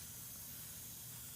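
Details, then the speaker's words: 1992 Honda Accord (CB7) with built, sleeved turbo H22 engine, cold leak-down test, barely run since assembly: steady quiet hiss of air out of the radiator cap, cylinder pressure leaking into the cooling system; head coming off for valve work. "actually there is there's lots of air coming out of the radiator cap here i feel it now"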